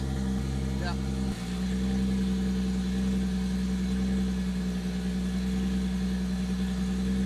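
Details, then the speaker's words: Toyota Supra, first run after rebuilt twin-plate clutch installed, exhaust off, car up in the air running through gears: a raw, loud, even drone with a harsh edge; the clutch can't be heard over the unmuffled engine. "you can't hear the twin plate over the exhaust so I'll have to put the exhaust back on"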